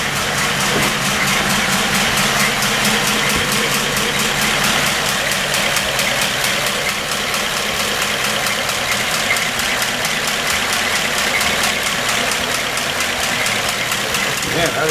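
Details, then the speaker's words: 1934 Ford dually truck on first start after a Stromberg 97 carburetor rebuild for a failed accelerator pump: steady, even idle with a quick regular beat and no misses or knocks; sounds good without adjustment; normal idle. "That sounds good. That sounds really"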